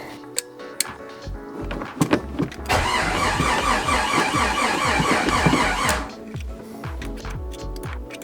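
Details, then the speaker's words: Rebuilt Jeep 4.6L stroker, first start attempt; sluggish, uneven cranking about four pulses a second, never catches, starter seems tired; fuel pressure checked good, so owner advances the distributor rotor one tooth. "or starter's getting tired here just gonna make sure I got fuel pressure here"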